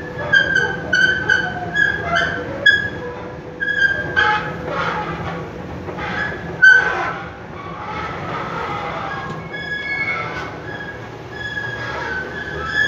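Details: Escalator at the Fatih bridge metro entrance running: repeating high-pitched squeaks and chirps over a steady mechanical rumble, a noisy squealing drive.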